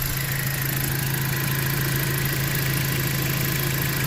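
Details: 2017 Jeep Patriot, 142k miles, idling during the fluid level check after a 6F24 six-speed automatic service with Amsoil Signature Series fluid; smooth even idle, steady low hum, no knocks or misses, level reads about the 30 mark.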